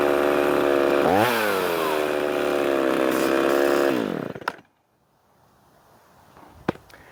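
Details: Poulan 3300 chainsaw, freshly revived: snaps crisply up to a high, steady howl, holds clean at full revs, then winds down smoothly and shuts off. Running healthy.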